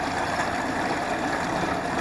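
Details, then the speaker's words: Honda BF75 outboard that wouldn't idle, fixed by cleaning the carburetor and backing out a fully seated screw, warmed up: steady even low hum, no misses or surging, stable idle in gear; normal idle. "bring all these on the shift you know just sit there an idle no problem sit there idling gear"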